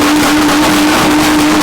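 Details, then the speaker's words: Stock V6 VX Commodore with the muffler cut off and a new side-exiting exhaust welded up, first start. A loud, raspy, steady roar with a strong hiss on top and nothing muffling it: a loud but acceptable exhaust note without the muffler. "um so where I just going to start it and see what it sounds like on the middle it's not that bad"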